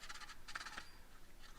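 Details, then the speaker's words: Motorcraft alternator from a 2006 Ford 6.0 diesel truck, 130-something thousand miles, spun by hand off the truck; gritty rattling clicks from a failed rear bearing with lots of shaft play, judged fried internally. "yeah bearing definitely went bad in the back yeah there's a lot of a lot of play in that shaft"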